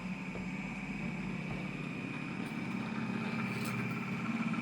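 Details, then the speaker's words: Pulse motor (dual SSG, 24 V) with an 8-inch 9-magnet rotor; one coil upgraded from 20 to 16 gauge drive with a 26 gauge trigger. Quiet steady hum with a thin whine rising as the rotor speeds up, expected around 2,500–3,000 rpm; normal running. "16 gauge is definitely where it's at. You can hear it screaming. I bet we're going to get up to like 3,000, 2,500 right away."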